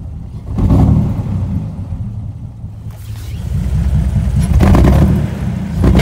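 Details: 2002 Jeep Wrangler 4.0 under acceleration: low uneven rumble as revs swell, sag and recover, engine bogs and stumbles, rough idle; new injectors, PCV valve, MAP sensor, fuel rail cleaned, no codes, cause unknown.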